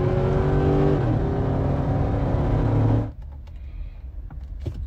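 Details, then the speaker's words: Stage 2 cam and springs, custom tune freshly loaded with SCT X4 programmer: note climbs hard and steadily through the revs with a shift step, then drops off after about three seconds; normal strong acceleration. "now let's give it a run yeah it pulls all the way through six"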